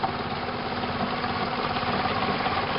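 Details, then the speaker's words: Stumbling, busy, uneven idle with a loose tapping rattle at about three per second from the hood prop rod, not an internal knock; a connection was seared off during a recent oil change. "my hand shaking like crazy that's actually not the knocking that would be my custom hood prop"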